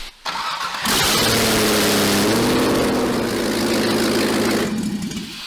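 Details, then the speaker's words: Chevy LS V8 swapped into a Toyota pickup, running with no exhaust before headers were fitted: fires quickly and holds a smooth, steady, even idle; runs good, a normal start and idle. "it runs runs good got to got to hear it again"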